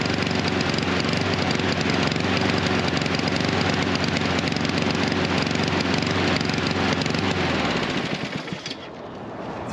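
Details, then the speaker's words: Husqvarna HU 700F mower with a choke that stays choked after the lever is pulled. The single-cylinder engine thumps along unevenly and lumpy, then sags and dies near the end; the choke is stuck on and flooding it. "Uh, but then you you let it go slowly or whatever you need to do and it's it's it's stuck back on and it runs like crap."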